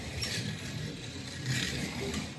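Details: NSR Ferrari F1 slot car straight out of the box on the track: continuous buzzy whirring with a gritty rattle swelling and fading each lap; runs rough, owner suspects the front axle, before tuning.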